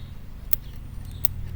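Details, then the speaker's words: 235 cid engine in a chassis from a 1948 two-ton truck: powered coil tested by touching a screwdriver to the spring; three sharp crisp snaps about a second apart, healthy spark, coil good up to the points, which make no contact. "if you just take your screwdriver and touch the spring I don't know if you can hear that clicking you see it right here the spark"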